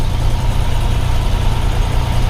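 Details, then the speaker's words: Fuel-injected Cessna 182S engine, unflown for a couple of days, started right away: a deep, steady low rumble with an even beat and no misses or stumbles at idle. "Start, and here's we call again. Close. Clear! Started right away."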